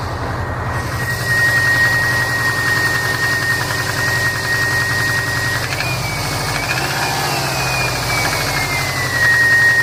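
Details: 2005 Saab 9-2X Aero, 119K miles, Stage 2 COBB OTS tune, cold start idle: light fast tapping over engine with thin steady whine; owner suspects piston slap, data logs show no knock; unconfirmed.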